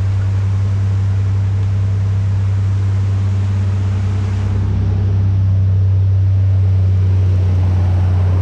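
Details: Nissan Navara VG30 V6 first start after swapping 180cc side-feed injectors for LS2 42lb 440cc top-feed injectors, tune updated by laptop: steady, deep, even hum, no misfire or ticking, idle smoothing slightly; normal idle.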